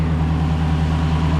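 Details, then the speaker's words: Lexus LC500 V8 at auction: deep, even idle rumble with steady beat, no ticks or knocks; engine sounds nice, normal idle. "Cool looks good. Engine sounds nice. That's fine."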